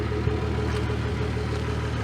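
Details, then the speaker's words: 1996 Jeep Grand Cherokee Laredo after replacing fuel pump (crank-no-start cause) and filter, system primed by cycling key about eight times: steady low idle, even firing, no stumbles or knocks; running normally. "Put some seam tape across there, seal that up, and change the filter while I was right there. And as you can probably hear, it's running."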